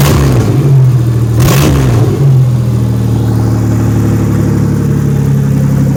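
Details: 1997 Pontiac Grand Prix GTP hotwired and run without its main belt, with a steady, even, smooth low idle and no knocks or misses after a brief blip. It is stopped by disconnecting the ignition wires.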